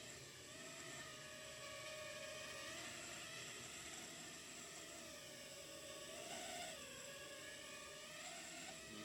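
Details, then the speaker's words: Martian II FPV racing quad, DYS XS30 BLHeli_S ESCs, F303 flight controller, new props, before repair: high motor whine wavers and surges unevenly even at low throttle. Oscillation not from tuning; motors or flight controller suspected. "see that? You can see it and hear it. So that's not a tuning issue."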